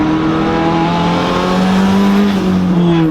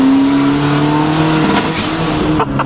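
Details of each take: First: Turbo Honda Civic EG on stock internals after boost cut raised to 22 psi: engine climbs steadily through a hard pull at 20 psi with no stutter or cutting; normal full-boost acceleration. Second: Turbo Honda Civic EG on stock internals, wastegate unplugged, boost cut set at 15 psi: engine pulls hard, then power chops out in quick stutters as boost spikes past 15; boost cut interrupting the pull.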